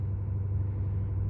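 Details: 2018 Ford F-350 6.7 Powerstroke diesel at 210,000 miles, warming at high idle after a cold start: a smooth, even, quiet low rumble with no knocks or ticks, a healthy idle.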